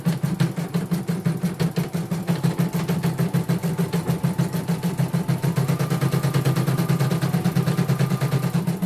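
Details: Portable embroidery machine shipped from Sekayu, South Sumatra with complaints of no embroidering, blank screen, hoop not positioning and dead touchscreen; run after mainboard work, presser foot lowered, sped up, one colour: even rapid stitching about three per second, no knocking or grinding; all sounds normal.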